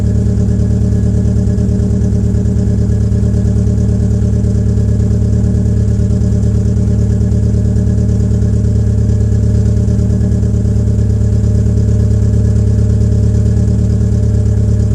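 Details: 2004 Peugeot 807 SR 2.0 EW10J4 (RFN) cold-start idle is rough with an uneven chug, rear silencer removed, beginning to smooth as it warms; owner attributes it to tight valve lifters typical of PSA EW engines.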